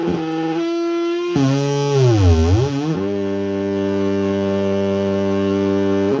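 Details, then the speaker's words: Tascam Model 24 mixer returned from warranty repair, Aux 3 now faulty: slight knob movement produces a buzzy synth-like tone that dips in pitch, swoops back up, then holds steady. Mixer self-oscillation tone. "So thanks Manuel you've turned my board into a synthesizer."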